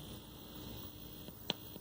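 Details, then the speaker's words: 1970s General Electric colour TV CYA7342, probing the audio IC. On pin 7 (bypass) a steady mains buzz with sharp probe clicks comes through the speaker, showing the stage passes audio, while pin 12 audio out gives nothing. "7 is bypass ah so there's our audio there it is passing audio otherwise we wouldn't hear that buzz you can hear it here"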